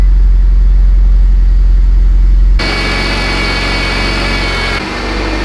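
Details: Mitsubishi Evo X first start, after fixing power steering and fuel leaks: deep even idle with a steady low pulse and no tapping or knocking; normal idle.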